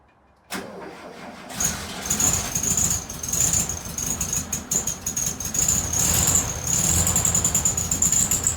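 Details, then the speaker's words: VW Beetle 1300, reassembled with the carburetor filled with fuel and wiring sorted, test start before the bonnet goes on and before timing is set: short crank, then it catches and runs lumpy with a faint hiss, smelly, and won't idle. "Oh, it's promising. Take two. Stinky. Just doesn't want to idle."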